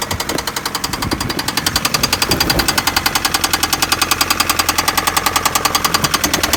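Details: Daewoo Nexia: sharp, even knock hammering about three or four times a second over the idle; engine knock, cause not pinned down.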